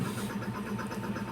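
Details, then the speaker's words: Toyota Wigo after misfire and check engine light fault codes cleared: revved engine picks up cleanly and evenly with a smooth steady hum, strong response, no misfire or stumble. "tayo dito RPM natin Ayan malakas na yung response so malakas na yyung engine"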